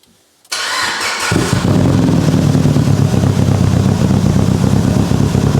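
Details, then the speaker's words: Mitsubishi Evo 8 restoration, first medium-cold start on base map, exhaust leaks fixed: quick crank then loud, uneven stumbling idle; misfire traced by unplugging injectors to cylinder 1 not firing. "it does sound like we have a little bit of a misfire so before I do more engine braking stuff I'm going to see if I can figure out what's going on"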